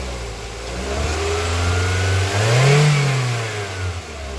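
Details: 2024 Mitsubishi Xpander GLS with an engine no-start complaint, started after battery terminals were reconnected and tightened; smooth note rises cleanly on a throttle blip and returns to steady idle, no misfire or rattle; normal start and rev.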